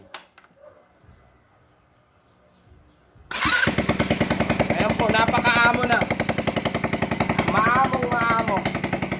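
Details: GY6 scooter engine: quiet, then bursts into a fast uneven putter near three and a half beats a second; hard starting.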